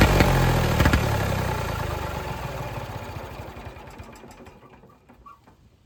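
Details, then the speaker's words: Late-1960s/early-1970s Massey Ferguson 2200 forklift, Perkins 3-cylinder gas engine, sat 23 years: fires, revs climb unevenly then fade, running away. The throttle linkage is gone, the governor doesn't work, and the throttle control does nothing. "I don't know why it's trying to run away. The throttle control is not really doing anything."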